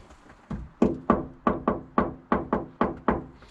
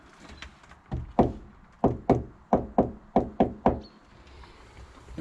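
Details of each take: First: Knock test on the untreated rear wheel arch of a Peugeot Expert camper-conversion van, which has no sound deadener yet: about nine sharp knocks, each with a hollow, echoey ringing tail. An undamped panel. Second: Knock test on a Peugeot Expert van's rear wheel arch panel, being converted to a camper, just after Dodo mat sound deadener was applied: about eight short, dead knuckle raps with no ring. The deadening is working.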